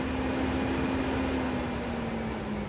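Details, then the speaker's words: Audi TT MK1 radiator cooling fans run at high speed with steady rushing airflow and even hum after bridging the 12 V supply and high-speed pins at the thermal switch plug; relay clicks in; fans working normally. "if we Bridge across here and here we should get both fans kicking at high speed"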